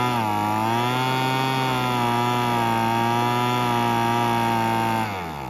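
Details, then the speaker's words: Weed Eater BV1650 two-stroke blower vac after about 10 minutes running: steady buzz wavers, sags and drops off, no clean idle; carb needs rebuilding, limiter-capped adjuster screw gave little change. "yeah that's about what I thought so we'll have to go through the carb it does have a limiting cap on the adjuster screw and I did mess with that a little bit but um there wasn't much change in it"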